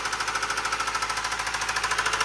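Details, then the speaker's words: Subaru engine with rod knock after an oil leak ran it low on oil, wearing the bearings metal to metal: a loud, hard metallic knocking at about eleven per second over the running engine, not piston slap. "if your car sounds like that that's a rod knock okay now I can talk again that is a rod knock that's an engine knock all right"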